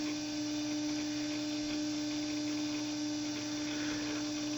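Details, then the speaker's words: Power Computing PowerWave 604 Mac clone (1995–96, PowerMac 9500/150 equivalent) at power-on: a steady, pure whine at one pitch over light hiss as the old SCSI drive spins up. The drive still works normally. "And the SCSI drive still works after all these years."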